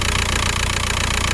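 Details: Audi A4 B6 1.9 TDI diesel at idle: rough, gritty rattle running constantly under the engine note from the front of the engine; abnormal noise, suspected belt tensioner, later replaced.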